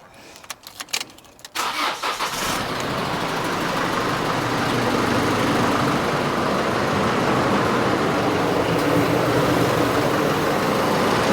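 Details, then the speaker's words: Holden Colorado diesel started after installing a Western Filters oil catch can, checking for leaks: brief crank, catches, then settles into an even, steady idle clatter with no knocks or misses; sounds normal. "So there's nothing really to sound bad anyway. That's it. There's nothing to go wrong, so it's because I haven't done anything really."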